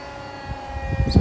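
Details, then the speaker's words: Hotpoint WMXTF942P washing machine, unused for a while, on a quick spin program with an empty drum before repair; drum winding up with a soft low rumble and light thumps, not excessive. Normal empty spin. "So far so good. That's not excessive at all."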